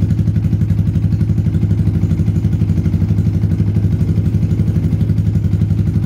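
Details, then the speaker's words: Yamaha Vixion/Xabre after engine rebuild with new cylinder block and piston rings (0.10 clearance), valve gap exhaust 0.15, intake 0.10: even, steady low thump about four beats a second, no ticking or knocking; compression leak fixed, smooth healthy idle. "untuk suara mesin sudah halus celah klep saya set X berukuran 15 sedangkan in berukuran 10"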